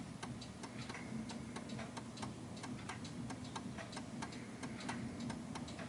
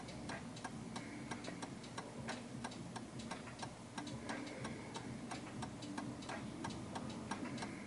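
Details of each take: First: 1930s Enfield oak-case 8-day striking mantel clock before beat adjustment. Steady ticking at roughly two beats a second with uneven spacing, more tick than tock. The clock is out of beat and soon stops. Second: 1930s 8-day striking oak-case Enfield mantel clock after adjusting the off-center beat by pushing the setting: an even tick-tock at about ninety beats a minute with equally spaced halves. The clock is now in beat.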